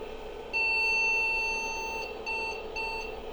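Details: IBM 5150 PC powered on with MS-DOS 3.1 boot floppy inserted: one long beep then two short ones over fan hiss, a POST error beep code at startup.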